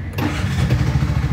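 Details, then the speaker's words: Bajaj RE three-wheeler after replacing the faulty ECU and the old throttle body, which wouldn't start: brief crank catches at once and settles into an even, steady idle with no misses or knocks; normal start and idle. "Yun, andar na. So ayan, andar ng unit natin."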